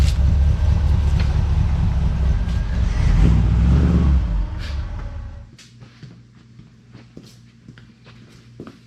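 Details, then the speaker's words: 1963 Impala V8 after a 9,000-mile road trip, power confirmed at fuel pump feed: cold idle low and lumpy, sagging after four seconds until it stalls; no surge, idle needs adjusting, electric choke suspected. "Well, I didn't hear that surge this time, but it didn't want to idle, and I've had to adjust that idle a few times on that trip, depending on my elevation."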